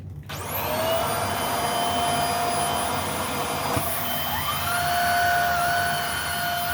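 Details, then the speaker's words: Hoover Air Steerable upright vacuum after brushroll and belt replacement: motor spins up quickly to a steady high whine with an even whoosh and no rattle or slapping; same pitch but noticeably quieter, running normally. "I don't know if you can hear that or not, but it's definitely quieter. The pitch is about the same, but the decibel level definitely decreased."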